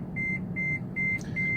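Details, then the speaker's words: Taxi in service: four evenly spaced high beeps, about two a second, over cabin rumble. It is warning of failing brakes; the car still stops but needs much more pedal pressure and is going to the shop. "But this car is making noise now because the brakes are failing. I'm still able to stop."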